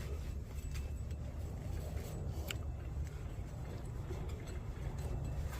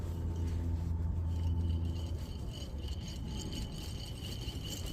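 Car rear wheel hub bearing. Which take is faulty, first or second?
second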